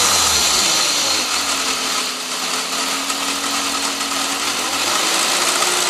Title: Wierd Ticking Noise with Revving